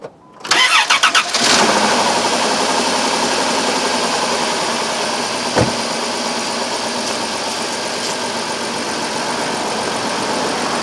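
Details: 2002 Chrysler Town and Country 3.3L V6 with code P0305: cranks, catches and settles into a rough idle with a bad dead miss on cylinder 5, checked for spark.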